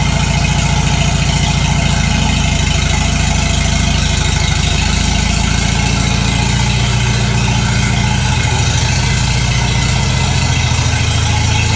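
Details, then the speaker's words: Farmall H tractor after sleeve repair, first start after sitting about 3 months with battery a little low, bit of choke; even low steady idle with no knock or miss, running nice and smooth. "That's a little bit better. Well, it runs nice and smooth."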